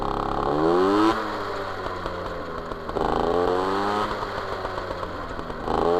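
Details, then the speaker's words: MBK 51 Magnum, stock engine, Dellorto PHBG 15 BD carb, Malossi 19 intake, Arrow Performer exhaust, previous jetting with W9 needle: revs rise and fall with sputtering, popping and lazy pickup; too rich at low revs and generally. "donc là c'était le réglage précédent que je trouve trop riches à bas régimes riches en général"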